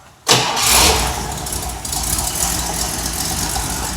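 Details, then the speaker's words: Mercedes at idle: the engine catches and settles with a raspy, hissing puff from an exhaust leak at the manifold-to-pipe joint, where the bolt is seized and won't come loose even with heat. "Just it has a leak. An exhaust leak. Right over there."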